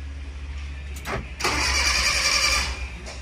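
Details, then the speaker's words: Car, hot after a 15 km drive, owner reports hard restarts when hot: brief starter whir then about one second of cranking that doesn't catch, needing two attempts and a longer crank. Hot start failure, cranks but no start. "Nggak mau ya dia. 2 kali starter. Nah, coba lagi."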